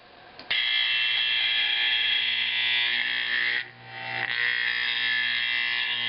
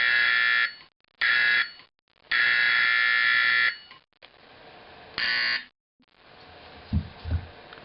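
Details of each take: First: Simplex 4051 24 V horn during conversion to 24 V AC 4050, adjusting bolts: loud raspy buzz at a steady pitch with only a brief dip; horn clean and even, properly adjusted. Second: Simplex 4051 24 V DC horn being converted to 24 V AC 4050, spring removed: repeated blasts of uneven length with harsh, buzzy, raspy edge, rougher than a 120 V 4050; raspy horn tone, magnet position adjustment next.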